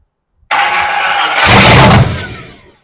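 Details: Classic Chevrolet Apache truck, first start after rebuilt engine, Holley 390 CFM carburetor and new wiring harness: engine catches at once with a loud roar, picks up briefly, then fades. It fires and runs.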